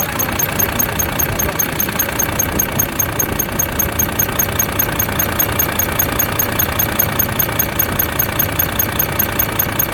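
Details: Volvo FH13 diesel truck two days after rocker arm replacement: high thin chirp repeating evenly about 2.5 times a second over idle, from under the valve cover toward the front; first thought belts; sticking rocker arm squeak.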